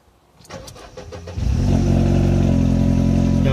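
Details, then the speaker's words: Mercedes SLK R170 with no-start/all-lights-on fault, test with the light switch's violet connector unplugged: brief cranking, catches cleanly, smooth even idle; everything but indicators works. Fault was the light switch, replaced. "auto käynnistyy Joo eli nyt ku testailin tätä nii näyttäs silt et kaikki muu toimii paitsi vilkut"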